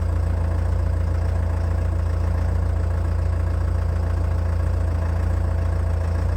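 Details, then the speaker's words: Old abandoned CAT excavator diesel, first start in months after long disuse, on new batteries in cold weather; very low revs kept low while the rebuilt hydraulic pump primes. A slow, even chug with no knocks or misses: a normal cold idle. "the revs are incredibly low i've sent the video to a few guys who are familiar with cats and they've had a look at it and they're happy with the way it sounds given temperatures that were there how little runtime the engine had had and how few rods i was giving it"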